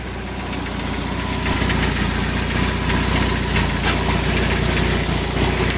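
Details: 1994 Jeep Wrangler 2.5 at a rough idle with a fast, uneven knocking rattle, about four knocks a second. Engine knock at low rpm; cause not yet found.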